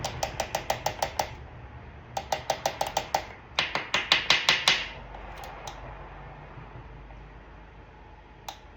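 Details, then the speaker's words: 2008 Dodge Durango 5.7 HEMI: the hung-up cylinder 4 deactivation solenoid ticks sharply in bursts at about three a second, stopping and restarting after a tap. It was stuck, causing the P0304 skip, and is being replaced anyway. "Right now, this solenoid right here is clicking. It's number 4, which it's hung up, but we're gonna go ahead and change it anyway."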